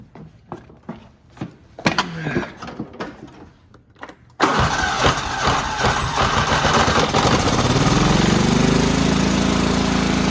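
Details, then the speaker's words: Cub Cadet riding mower, 16 hp horizontal-shaft Kohler, primed with starting fluid and on choke: slow cranking pulses, then it catches and climbs to a steady drone. Fuel pump works, but it runs only on choke, so the carburetor is the likely fault. "the pump worked so the issue is with most likely the carburetor if it runs on choke and only choke then it's the carb"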